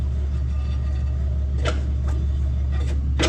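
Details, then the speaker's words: Electric brakes being tested on a refurbished, rewired gooseneck equipment trailer: over a steady low truck idle, sharp clunks come as the controller is applied, and the trailer brakes work. "Oh yeah. So the brakes work."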